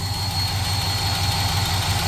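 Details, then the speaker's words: 1965 Cadillac big V8 at idle with timing slightly high, started after sitting four days: a deep rumble with faint lifter tick, worse on one side. It was run for years without lead additive in the fuel or zinc in the oil. "it has a lifter tick on this side and a slight one on that side so uh lead additive was not being used on the fuel and no zinc on the uh oil and that's been years and years"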